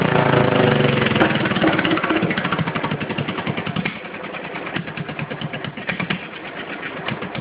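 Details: Stock 10hp Cub puller tractor startup, still leaking some oil at the crankcase breather and exhaust pipe; crisp, regular single-cylinder beat about four pulses a second, easing off smoothly with no misfire or knock, normal running.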